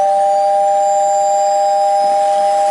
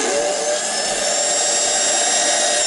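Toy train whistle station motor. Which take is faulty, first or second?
second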